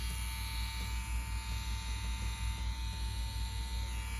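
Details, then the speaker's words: CNC Q1 tattoo machine at 7.5 volts with a Quill 11 round liner needle installed: smooth, even low buzz with steady pitch, no knocks or stutters; very consistent. "The machine sounds great. It sounds smooth."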